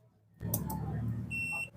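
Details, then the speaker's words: Impact drill with no power, tested with a digital multimeter on continuity: after handling noise a single clear beep sounds across the switch, so the switch is good and the fault is in the 220 V power cord wire. "Ayan pumalo ibig sabihin ang problema lang nito yung wire niya sa cord niya sa 220 volts"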